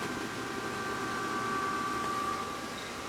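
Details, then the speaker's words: Cheap pellet smoker running on a new replacement control board and igniter, pellets feeding, igniter cherry hot, drawing 1.80 amps: soft steady fan rush with a faint constant hum and no rattles or scraping; the draft fan runs smoothly. "We've got pellets feeding. I hear them dropping in there."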